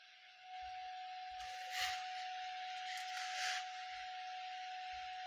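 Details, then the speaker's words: Cyber Acoustics CA 2014 speakers after a left-speaker PCB soldering repair: clean, steady mid-pitched test tone with no crackle or dropouts over light hiss. Normal speaker tone output. "Alright, so that's an audio demo. Turn that frequency up. There's an audio demo of the speakers working."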